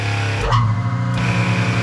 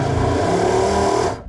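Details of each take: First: Lagoon 450 catamaran watermaker, jury-rigged Jabsco boost pump feeding high-pressure pump; second pump whirs up, both settle into steady even hum; boost pressure high, pulsing but never zero; working. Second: Lagoon 450 catamaran watermaker, diesel-rated replacement pump (13 A) fitted; steady motor hum runs about a second then cuts abruptly as a breaker, likely only 10 A, trips; owner plans to bypass the switch.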